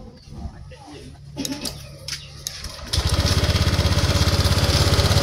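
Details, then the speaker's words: Honda Vario 150 scooter that wouldn't crank, tested with the starter circuit jumpered at the switch: quiet clicks and handling noise, then it catches near three seconds and settles into a steady, even putter; starts and runs fine. "Oke, motor hidup. Kita tes sekali lagi."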